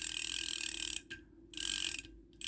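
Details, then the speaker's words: Vintage Korean-made Daiwa 100X reel with a brass axle and screw-in handle; it still works. The handle turns with crisp, rapid ratchet clicks in short even bursts, no grinding or catching: normal reel operation. "But anyway, it works. It's a piece of history."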